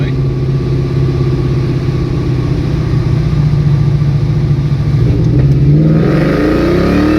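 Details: 2003 Ford Mustang Cobra V8 with a dead cylinder, bad oil burning, bad valve cover seals and knocking, revved while parked: uneven, lumpy, stumbling beat climbing with revs; one cylinder not firing.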